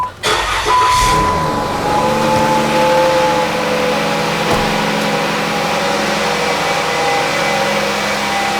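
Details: 2011-2014 Chrysler 200 after serpentine belt replacement: engine cranks briefly, catches and settles into a steady smooth idle with no belt squeal or chirp; sounds healthy.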